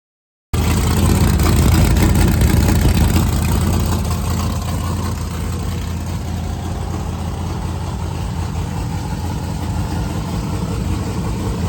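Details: 1971 Chevy Nova race car, refreshed 383ci small-block Chevy V8 with TH400, first start on E85 with the distributor now locked out: a sharp catch, then a deep, lumpy idle with a steady loping beat, no knocks or rattles; healthy big-cam idle.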